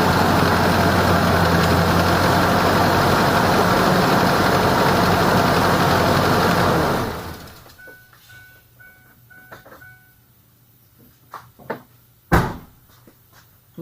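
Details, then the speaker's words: 2003 Ford Ranger 2.3 L without AC, 175,000 miles, idling right after serpentine belt replacement (previous belt believed changed at 90,000 miles): smooth, even idle with no squeal or chirp; everything spinning smoothly, belt running normally. "all right so everyone everything spinning smoothly there's no noise everything's"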